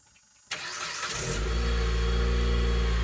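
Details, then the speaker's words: Jeep Patriot 2.4 cold start with the big muffler, before swapping to a Thrush Turbo: the starter catches and settles into a smooth, very quiet, even idle with a soft exhaust; a healthy cold start. "boy that's a cold start and that thing is quiet so hopefully I can make that thing sound a little more racier"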